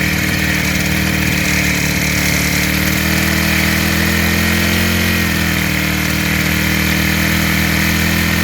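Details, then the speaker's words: Rebuilt small four-stroke engine after carburetor fitted and valves checked, idle mixture tuned by ear: smooth, even idle with steady pitch, no stumbling or shaking; engine settles once fuel mixture is right, running normally. "ถ้าเครื่องเบอกว่าเขาโอเคเเอาน้ำมันเท่านี้แหละเ้าก็จะนิ่งนะครับเาจะไม่สั่นแล้วจะไม่ดื้อนะครับ"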